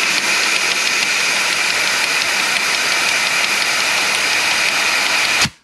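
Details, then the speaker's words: 2004 Suzuki DRZ400 with the engine opened and flushed of milky oil: air blown in spins only the oil pump and its drive gear, giving a steady rapid rattling knock, then silence. The gear was missing a tooth; the knock was earlier blamed on the wrist pin. "you hear that that sounds like the knocking that we were hearing thinking that it was the wrist pin but i'm thinking it's either the oil pump or this gear"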